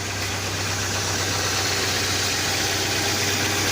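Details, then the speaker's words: 1998 Dodge Neon, single-cam engine with automatic, after valve cover gasket, cam sensor seal, spark plugs (gapped 0.035), wires, air filter and PCV valve replacement: starts right up and idles smooth and even with a steady hum, no knocks, misses or ticks; normal idle. "Go ahead and start it. Oh, Starts like a sounds good. Let it run for a few minutes and we'll take it for a spin."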